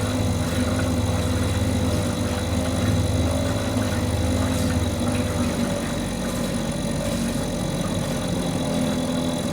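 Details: Mercury 2.5 hp two-stroke outboard that sits for long periods and wouldn't stay running, now running after carburetor troubleshooting: even buzz, pitch holding steady then settling slightly lower, no misses or stumbles; runs at different RPMs; normal running.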